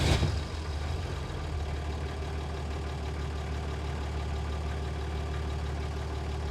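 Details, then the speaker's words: Toyota HJ45 diesel after sitting 7 years, glowed then cranked, exhaust extractors now bolted on. Low, steady diesel rumble settles after startup, smooth and even, no knocks or misses; healthy idle, much quieter than before extractors fitted. "that's why these things are so famous i mean listen listen to that unbelievable bolting those extractors up has really eliminated that noise it was obnoxiously loud earlier when those extractors weren't bolted on"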